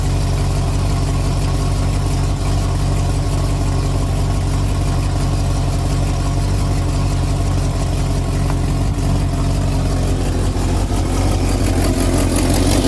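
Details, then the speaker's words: 1974 Ford F250 SuperCab 460 V8, parked 14 years, running on an inline electric fuel pump wired to the battery: deep, even idle with no misses, ticks or knocks, not smoking; good motor that needs only a tune-up. "not even smoking good motor that might be all the fuel on it dang little tuneup this would be a real nice motor"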